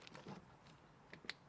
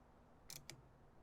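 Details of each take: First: Late-1980s/early-1990s Massey Ferguson 50H backhoe, 4-cylinder Perkins diesel, removed possibly non-original starter bench-tested: sharp scattered clicks as Bendix kicks out, motor never spins; starter clicks but does not crank, needs replacement. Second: Starter solenoid from a late-1980s/early-1990s Massey Ferguson 50H backhoe with a Perkins four-cylinder diesel, bench tested grounded through its body with positive on the S terminal: three crisp, sharp clicks; solenoid pulls in and works.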